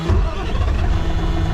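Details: Diesel truck after a starter-related no-start, with a wasted part bought. Brief crank, then it catches straight away into a deep, steady rumble with no clicking. Clean start.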